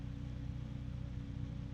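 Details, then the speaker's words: DarkRock F140 PWM ARGB Infinity 140 mm PC fan at maximum speed: a steady rush of air carrying a constant high tone that never drops out; a persistent tonal whine at full speed. "The high one has not gone away. So that is what it sounds like on maximum."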